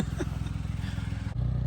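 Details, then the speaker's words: Mitsubishi Mirage after being flooded in a river crossing; low, uneven exhaust chuffing with dropped beats and a stumble; missing, owner suspects moisture in the spark plug wires, no smoke. "She's not running too good. Maybe the spark plug wire's got a little moisture in them there."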